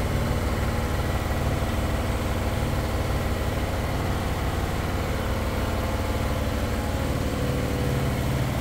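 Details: Broan bathroom fan running: constant low droning buzz as the powerful fan vibrates the whole ceiling, making the loose drop-ceiling fluorescent geometric light covers rattle; the fan itself is not the noise source.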